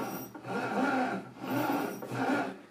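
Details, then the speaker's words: Logitech G920 gaming steering wheel, about nine months old, makes three raspy rubbing squeaks only when turned quickly to the left, loud in person and worse with force feedback on; a common fault that had stopped and returned weeks later. "in the original video I said that there's quite a common problem where the wheel squeaks when turning left"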